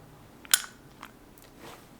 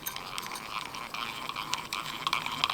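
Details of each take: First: Vintage Abumatic spincast fishing reel being checked before buying: one sharp, crisp click as the button is pressed, meaning the retrieval pin has recessed and the reel can cast, a normal button click. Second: Abu Automatic 170 spincast reel whose gears once rode on top of each other and were filed afterward: rapid scratchy, uneven rasping "rawr, rawr" while reeling, gear chatter, mild compared with some reels.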